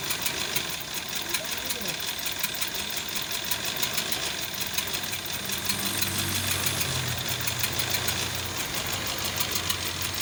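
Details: Toyota Corolla 4A-FE petrol engine idling with an uneven, stumbling beat: misfire at idle, tagged OBD code 33.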